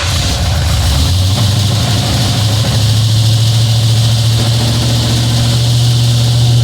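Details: Ford F-150, 351 SBF bored 30 over, aluminum heads, carb, long tubes, idling: rough lumpy idle with fast clattery ticking over loud exhaust, sounds like a diesel; ProForm roller rockers rubbing on poly locks, to be replaced.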